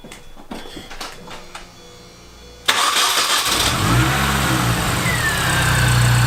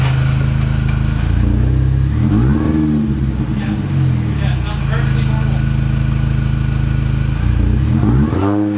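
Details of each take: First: Mini after ignition overhaul with new plugs and MSD wires: cranks briefly, catches cleanly and settles into a smooth, even idle; stuttering and stalling gone; normal start and idle. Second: Mini with misfire and rough idle/stalling, before new plugs and wires: lumpy, uneven idle with stumbling beats and surging revs sagging toward stall; cause not confirmed.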